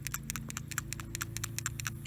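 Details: New PCV valve for a 1995–97 Saturn SL/SC/SW SOHC, shaken by hand: crisp light ticks, about seven a second, plunger moving freely; normal rattle, unlike the old valve that sometimes sticks at the bottom.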